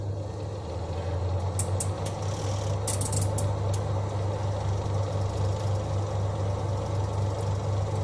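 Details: Twin-tub washing machine spin dryer after the shaft bolts joining the spin shaft to the tub were tightened to cure its squeak: a smooth, steady low hum with a few light ticks and no squeak or rubbing; fixed.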